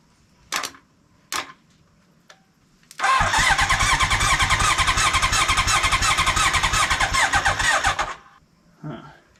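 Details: 1980 Honda CB900-engined custom lawnmower trike that sat for years, jump starter hooked up and choke on: fast, even cranking about four turns a second for about five seconds, never catches; cranks but won't start; owner suspects no spark.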